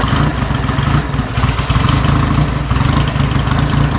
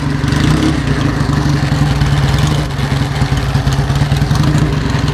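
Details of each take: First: 1949 Indian Scout V-twin during a used-bike shakedown, just after starting: a loose, even low thump settling into a steady idle with no knocks or misses. A rattle is from the battery case missing its strap. Normal idle. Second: 1949 Indian Scout V-twin running after a fresh battery charge: a loud, lumpy idle with a heavy, loose clatter on every firing pulse, from the battery case sitting loose without its metal hold-down strap; the engine itself sounds good.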